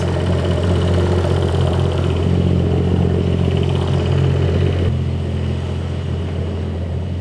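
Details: 2011 BMW 535i xDrive F10 with freshly rebuilt and reinstalled N55 six-cylinder, first run: steady even idle with smooth low hum, settling slightly lower after a few seconds; no knocks, misses or oil leaks, healthy.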